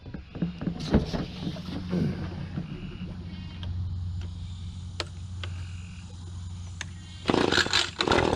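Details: Newly bought Echo PB2520 blower, cold start (already run once at the shop): a few sharp cord-pull clicks, then it catches to a low steady buzz and revs up cleanly. It seems a little cold-natured but runs fine.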